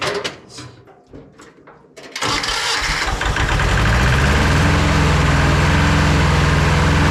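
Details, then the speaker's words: Starter cranks briefly, then a roughly 40-year-old Hinomoto diesel tractor, with new starter shimmed with washer spacers, catches and settles into a steady, even idle about 200 beats a minute; first start in years, runs well. "All right, let's see if this thing moves then. Wow. Okay, that runs real good."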